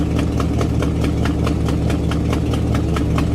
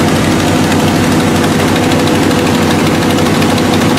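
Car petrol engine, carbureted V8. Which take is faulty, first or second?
second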